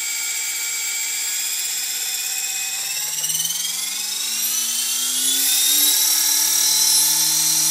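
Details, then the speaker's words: EXI-450 electric RC helicopter build spooling up: whining drive with a steady chopping pulse about four times a second; main gear wobbly from factory and main shaft wobbling with it, suspected cause. "do you hear that chopping noise and look at the look at the main shaft looks kind of wobbly but i'm it's wobbling with the main gear"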